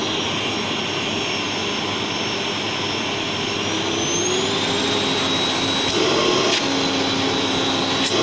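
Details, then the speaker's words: Old Gerer8 Power MAX 2000W vacuum cleaner on high setting, pretty loud: steady strong rushing whir with high hum climbing slightly as it settles; healthy motor, suction very forceful. "it is pretty loud actually when it's uh when it's on high"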